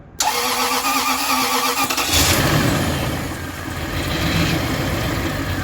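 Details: Toyota with starter under the intake, reassembled after starter replacement and intake manifold gasket job; starter spins engine briskly about two seconds, catches and settles into steady idle: healthy cranking and start, minor fuel leak noted.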